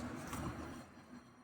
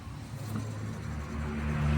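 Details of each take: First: 2018 Nissan Versa in for a suspected wheel bearing noise: a hand-spun wheel gives a soft, fading swish of light brake pad rub on the disc with no bearing growl, which is normal. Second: 2018 Versa: a low rumbling growl builds as the lifted wheel is spun by hand, louder than the other wheel's light pad-on-disc sound; a worn wheel bearing, felt as humming and howling while driving.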